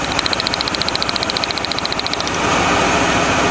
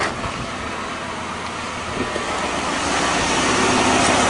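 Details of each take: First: 1997 Lincoln Continental, about 260 horsepower, idling after the burnt spark plug wire was fixed and taped: unhooking one plug lead brings back the puffy, thumpy uneven pulse of about three or four a second, a single-cylinder misfire, before it evens out. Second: 1997 Lincoln Continental after a burnt spark plug wire was taped over: steady, even running with the puffing, thumping misfire gone; normal idle after the repair.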